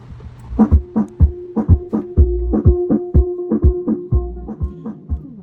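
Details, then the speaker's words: EV ZLX 12P G2 12-inch 2-way 1000W powered speaker, after factory reset; music sounds dull and boomy with no top end, tweeter silent as if blown; muffled distorted audio persists regardless of EQ mode. "Yeah, so it's still not sounding very clean."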